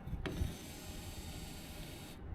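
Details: 1981 Ford F100 wiper motor bench-tested after repair, grounded with wipers on: a quiet, steady whir runs about two seconds, then cuts off cleanly. The motor parks normally, so it is fixed.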